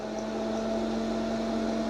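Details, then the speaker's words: 80-year-old 240 V, 50 A kiln under new computer control, test program running: steady even electrical hum with low tone and fainter higher one, no buzzing or crackle, as SSR energizes elements for 5 seconds; normal heating element hum. "and that's the SSR, and the elements are heating inside the kiln. The elements are on."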